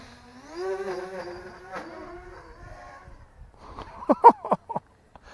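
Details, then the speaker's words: XK X350 brushless 3S quadcopter punching forward at full throttle in stab mode: buzzy motor whine climbs and wavers, then choppy bursts; odd sound, flyer suspects the unusual propellers. Motor screws were just snugged. "Makes an odd sound punching forward. It might be because of the propellers, because the propellers are a little bit different than we normally see on drones, just because of the simple fact."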